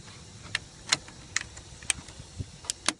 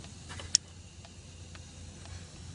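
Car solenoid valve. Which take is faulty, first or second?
second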